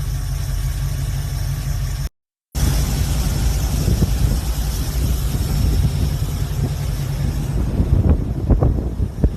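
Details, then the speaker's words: V8 hot rod with a new carburetor, choke set right and a new accelerator cable, on a weak temporary battery: steady, even low idle with no misses or hunting, holding speed; normal idle. "but yeah, this bitch is purring, responsive, everything, idling badass. Choke is golden. Hell yeah. Hell yeah."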